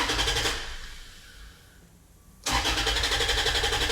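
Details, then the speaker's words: Toyota FJ Cruiser with immobilizer code B2784 antenna coil circuit open after a part swap: starter spins the engine evenly in two tries but it never catches; crank, no start, security light off; the DTC may need clearing. "Ayaw pa rin. Baka kailangan i-clear yung DTC."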